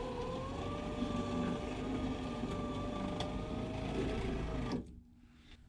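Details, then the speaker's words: 1973 Ford E-200 Econoline, aftermarket flat-glass power window kit fitted to curved glass, driver's door: window motor whine sags and wavers as the glass drags down the track, labouring before cutting out; binding near the top of travel, cause unconfirmed. "I got to bring the window down. Come on, baby. Come on. Sounds pretty rough."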